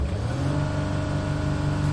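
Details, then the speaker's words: 2007 Mercedes Sprinter OM642 diesel with check engine light and stuck intake flaps, floored from idle: revs climb briefly then hang flat as the ECM cuts power in limp mode. "that's where it ends the ECM is stopping any other power being brought"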